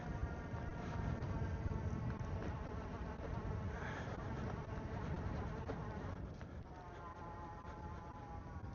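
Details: Wired Predator e-bike, fully loaded, climbing Gates Canyon in cold weather: steady high whine with stacked tones over heavy wind rumble as the motor pulls hard uphill.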